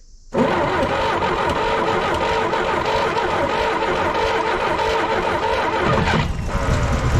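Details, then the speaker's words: 1964 Jeep CJ5 barn find with previously stuck engine, just after cleaning oxidized points to restore spark: engine fires and runs about six seconds, longest run yet, then sags, stumbles and stalls; cause unclear. "oh she's dying down dying down of dying well she stumbled and died there but man it ran that's the longest I've heard it run"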